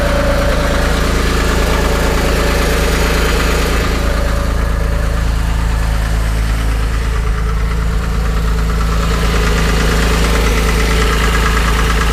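Steady flat-six idle with a light regular knock riding on it, about three a second, fairly even; source of the knock not pinned down. Cause suspected, not confirmed.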